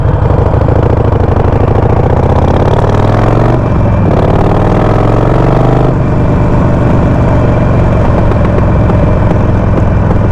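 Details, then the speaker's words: Harley-Davidson Sportster 48 on a Fuel Moto custom map tune: revs climb through the gears, then faint crackles and minor popping on the overrun while downshifting. The stock PV4 stage 1 map pops much louder. "you hear like some of that minor popping it's not a big issue because uh when you're running the stock map it is popping a lot it's really loud and at least with my bike"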